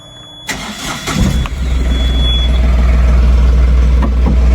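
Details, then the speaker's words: Ashok Leyland diesel, cold start in neutral: brief crank, then catches and settles into a steady, even low clatter with no misses, left to warm up 10-30 seconds; clean, normal cold start. "Okay, വണ്ടി ഇപ്പോൾ start ആയിട്ടുണ്ട്. ഇനി ഒരു 10-30 second ഇങ്ങനെ ഓണാക്കി ഇട്ടേക്കണം."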